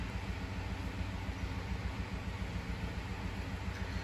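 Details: 2015 Ford F-150 Lariat 5.0 V8 that stalls coming to a stop, worsening despite a new purge solenoid and spark plugs; low steady idle throb with a slight uneven pulse, check engine light on, code P0022 intake camshaft timing over-retarded.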